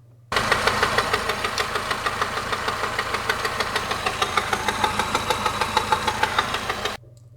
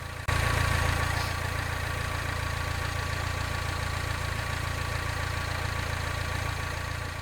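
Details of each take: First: 2011 Mini Countryman at idle before repair, rattling for six months with no debris in oil: fast metallic clatter about three ticks a second, like a rod knock; cracked water pump pulley and worn belt, fixed by replacing both. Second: 2011 Mini Countryman at idle after repair; before, it had a terrible rattle like a rod knock for six months with no debris in the oil; now a steady, even idle with no clatter; fixed by replacing a pulley and belt.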